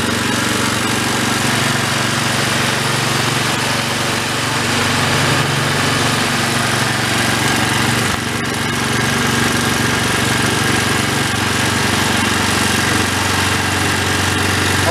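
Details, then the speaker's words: Old Homelite unit (generator or pressure washer) stored about 20 years with Marvel Mystery Oil in tank and carburetor, no fuel filter, choke on, throttle mid; loud steady but lumpy single-cylinder beat, running rough, air-fuel mixture needs about half a turn. "run it into i want to run it until it doesn't run a rough take about about a half a turn"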